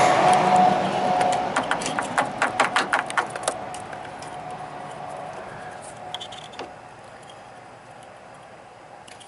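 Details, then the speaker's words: 2004 Toyota Highlander, cooling fan stuck on after shutdown draining battery: rapid irregular crackling snaps over a faint hum as a pin is pulled, arcing inside the fan connector making the test light flicker. "I can actually hear the arcing inside the connector and our test lights flickering. I mean, that's that's freaking wild."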